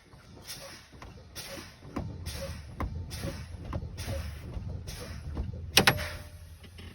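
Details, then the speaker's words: Truck in-cab pretrip static test, engine off, key on, pumping brakes down: repeated air hisses until red trailer valve then tractor parking brake valve pop out with sharp snap (spec 20–40 psi); normal. "That should pop out somewhere between 20 and 40 psi. And your red one should pop out somewhere around 45 to 20 psi. The red one will pop out first, and that helps prevent a jackknife."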